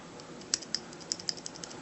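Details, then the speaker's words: Glock pistol: light sharp metallic ticks, three or four a second, from the firing pin rattling, freed by trigger bar pressure on the internal safety; grease won't help; normal firing pin rattle. "but that sound is the firing pin um now if anybody else besides Pete is watching um that's that's a pretty normal sound for Glocks to make"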